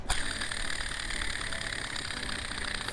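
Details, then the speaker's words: VW Passat with nine check-engine codes, pulley removed and spun by hand: gritty whir with a thin high ring that carries on as it coasts. Worn pulley bearing, the main source of the noise; the cracked drive belt was also part of it. "but i wanted to show you that this was the majority of the noise"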